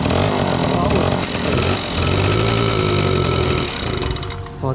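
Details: Honda Joker 50 scooter that sat unused and wouldn't start, exhaust leak noted: small engine putters at a ragged uneven beat, then sags and stalls.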